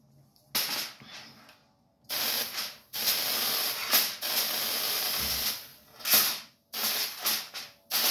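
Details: High-voltage ion lifter using a folded-foil top plate instead of a wire: bursts of sharp, airy hissing start and stop as the voltage switches on and off. Corona discharge from the electrodes, which is why thrust is low.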